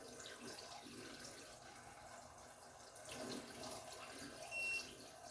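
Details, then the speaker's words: Hotun Detect tundish alarm with cold water running through: steady tap hiss then one short high beep with one red flash, flagging a cold-water discharge. "you can see, you get 1 beep and 1 red flash."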